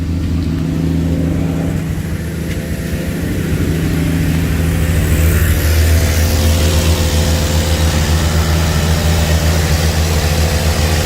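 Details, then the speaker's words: 1982 Ford Granada at its first start attempt: engine revs with a steady droning hum over the running. Loud noise possibly from the air pump; unconfirmed. "all right yeah one of all that noise is the air pump I think"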